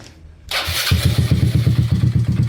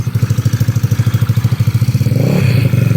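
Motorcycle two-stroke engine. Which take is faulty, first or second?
first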